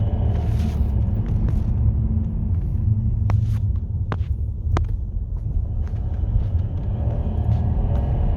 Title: 2010 w212 E350 chirping noise